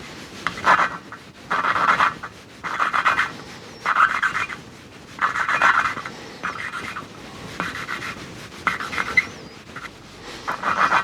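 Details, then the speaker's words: Kawasaki ZX9R cylinder head valve being hand-lapped with coarse grinding paste: coarse rasping strokes roughly every second, gritty and scratchy, seat not yet bedded in; tone turns smooth when lapped in. "And as you're doing this, you'll you'll hear a change in tone as you're doing it. So, it's quite you can hear the grinding going on now."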